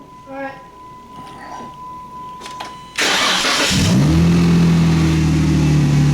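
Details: 2015 Jeep Wrangler Rubicon with a no-crank and total electrical loss traced to a loose positive battery cable. After wiggling the cable, with the clutch depressed, the starter catches straight away into a smooth, even idle; normal engine start.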